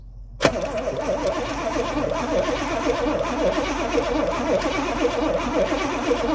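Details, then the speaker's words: 1982 Pontiac Trans Am Crossfire Injection V8, parked 30 years: steady rhythmic cranking, never catches, 60 lbs oil pressure, injectors heard clicking but no fuel because fuel pump not working. "I can hear the injectors clicking. Yeah? Yeah, but no fuel unfortunately."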